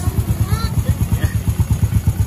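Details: Honda XRM 125 carb after top overhaul with new block, piston and rings plus valve clearance adjustment: low, steady thumping idle, no tapping or rattle, quiet and no longer smoking. Normal idle.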